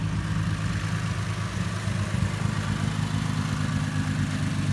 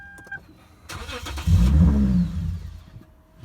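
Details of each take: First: 2009 Lexus IS 250 with a crank-no-start or start-and-stall complaint traced to an aftermarket mass airflow sensor: low, steady idle rumble with no stumbles, misses or surging; normal idle. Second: 2009 Lexus IS 250 whose Denso mass airflow sensor had been replaced with an aftermarket unit: a short crank, then the engine fires into a low rumble for about a second and dies instead of idling. The aftermarket MAF is suspected.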